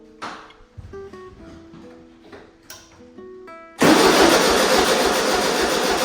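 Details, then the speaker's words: 1973 Volkswagen Super Beetle 1303, air-cooled, sat outside 15 years; starter spins hard and steadily but engine never catches because plug leads were fitted in the wrong firing order. "It didn't start, but I know why. And it didn't start because I put those wires in the incorrect order."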